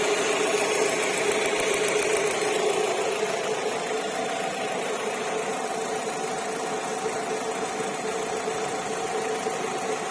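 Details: 2007 Alfa Romeo 147 1.6 Twin Spark (105 hp) at quiet idle: a thin, high, cicada-like chirp from the engine repeating about twice a second; the cause is unknown.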